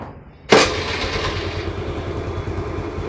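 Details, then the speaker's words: TVS Jupiter scooter after engine rebuild with many parts replaced (previously loud, suspected cracked bearing/connecting rod): starts on first self-start and settles into smooth, even idle, no knocking or rattle; normal start and idle, sounds like factory. "देखिए दोस्तों एक ही self में start हो गई है और आवाज भी दोस्तों कंपनी जैसी हो गई है पहले दोस्तों आवाज काफी ज्यादा आ रहा था इंजन में से"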